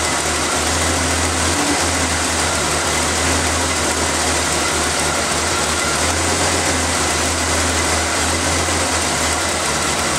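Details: Engine started after the valve cover, vacuum line clip, air filter and cover were reinstalled, to listen for leak hissing; steady even idle with a constant airy hum but no sharp intermittent hiss. Normal idle, no vacuum leak.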